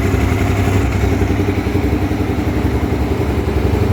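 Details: Honda Twister 250, first start after repair of a top-end noise (cylinder head off, threads cut for two bolts): even single-cylinder idle pulsing about four times a second with light normal valve clatter; no loud top-end noise, runs healthy.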